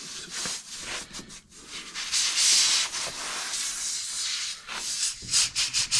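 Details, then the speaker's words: Old motorhome of unknown year started with a jump pack; loud, rough high-pitched hiss surging and fading in uneven pulses as air escapes through a located hole: air leak. "Okay, so we've got the hole. It's right here, I think. Yeah, there you go. You can hear it."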